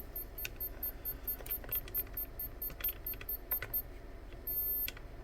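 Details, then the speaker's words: Bench test of a brushless motor on a Dynamite ESC with a 3S battery: quick high-pitched beeps two to three times a second. The ESC won't arm because the remote's throttle trim sits around one and a half instead of zero. "that beeping is to let you know uh that your throttle trim may not be at zero"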